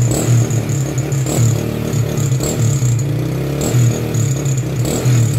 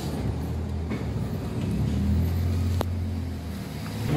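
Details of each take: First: Honda Wave 100 kick-started (no battery) after cleaning a carburettor left dirty for half a year: steady, even idle with a smooth low beat and no misses or pops; sounds healthy. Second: Honda Wave 100 with a carburetor uncleaned for half a year: low, uneven engine note stumbles with one sharp pop partway through, misfiring and backfiring from a dirty, clogged carburetor.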